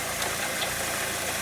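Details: Chevrolet Cobalt at idle: a rough, gritty rush on top of the engine note with no clear knock, from worn pulley bearings and a noisy water pump; fixed by replacing the water pump, timing belt and tensioner.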